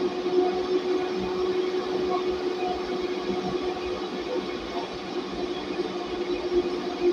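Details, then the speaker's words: Noisy server-rack cabinet fan (DC motor) on a 60 V 20 A PWM speed-control module, 53.3 V input, output turned down to 29 V: steady mid-pitched hum and even airflow hiss, fan spinning smoothly at slightly reduced speed. "ini tegangannya di 29 volt putaran kipasnya juga agak sedikit berkurang"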